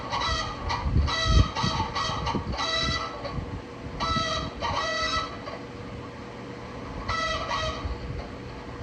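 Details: Bathroom exhaust fan just switched on: warbling crowing squeal like a rooster, coming and going in bursts from the motor; cause unknown.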